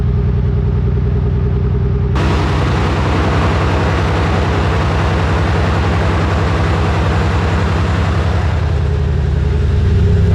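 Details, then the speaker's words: Nissan R34 at idle before repair: uneven, lumpy idle with an irregular off-beat throb like a Subaru boxer, owner suspecting the spark plugs; a failed ignition coil causes a misfire. "let's shut this thing off that thing sounds like a Subaru which is not bad the only thing is this is not a Subaru at all so we're going to go ahead and fix that today"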